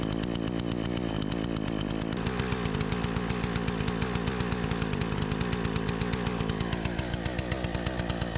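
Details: Troy-Bilt 20" two-stroke chainsaw after carburetor adjustment: an even popping idle climbs cleanly to a steady high rev with no stumbling or misfires, running far better than before; the owner thinks a bit more RPM is still available.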